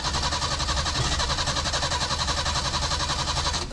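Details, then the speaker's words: Peugeot 505 V6 manual, dead car being resurrected, relays confirmed working, MAF/fuel pump relay being ruled out: fast, even starter cranking about four beats a second, engine spins freely but never fires; cranks but no start. "you can see the current speed is very fast, but nothing."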